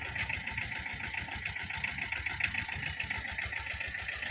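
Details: 2012 Tata Ace diesel, two owners, engine in very good condition with a new battery: started instantly after heater glow. Steady, even clatter at a settled idle, regular rhythm with no knocks or misses; healthy.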